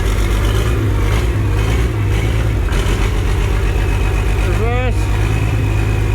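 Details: Worn Perkins 6354 turbo diesel, oil leaks worked on and cooling system bypassed, holds a steady, even rumble through neutral, forward and reverse with a brief rising turbo whistle; it runs smoothly. Smoke is thought to be just water.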